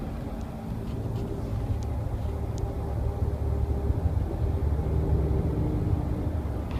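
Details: 2013 Nissan Pathfinder while cruising: low steady hum with a faint buzz under road noise, started recently after about 35k trouble-free miles; humming buzzing noise, owner unsure if normal, source not pinned down.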